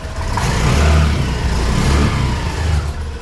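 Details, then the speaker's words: Honda Activa 125 that won't self-start, malfunction light on, CKP sensor suspected, started by kick: steady low putter settling after the kick start, wheel turning, no knocks or rattles; runs normally. "ಕಿಕ್ಕಲ್ಲಿ ಗಾಡಿ start ಆಗಿದೆ, wheel ತಿರುಗ್ತಾ ಇದೆ ನೋಡಿ, side ಕೊಡ್ತೀನಿ."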